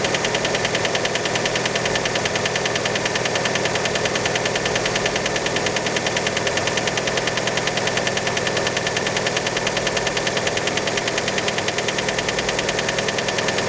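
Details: Fiat Panda engine right after a cold start: steady idle with a sharp, even light knock about three per second over the engine note; cause unconfirmed, many suspect piston skirt.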